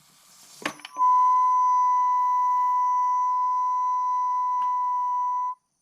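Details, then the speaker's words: Can-Am Outlander, warm, fuel tank pressurized: steady pure whistling whine near 1 kHz from fuel tank vent check valve in cross member between rear shock towers; owner suspects dirt fouling the valve; only occurs once warm. "And as a result, I think it gets really dirty, and some of the dirt, grime, mud, whatever, gets backed up in that little check valve and makes a noise like this."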